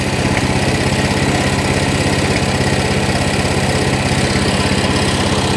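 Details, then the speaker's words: Coleman CT200 mini bike, non-adjustable carb: the small single runs a fast, steady buzzing idle with even firing, still a little high. "all right let's give it a whirl still a little high i can tell already"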